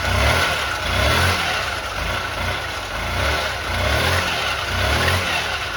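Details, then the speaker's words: Honda Elite 80 (CH80) scooter after carb cleaning and hot-water soak of the diaphragm, warming up: even buzzing idle with gentle swells on throttle blips, no misses or knocks; fixed, cause uncertain between carb junk and stiff diaphragm. "So we fixed the issue. I'm not sure if there was just a little bit of junk in the carb or if it was that diaphragm that soaking it in the hot water kind of loosened it up, made it more flexible. I'm not quite sure, but glad we got it running good."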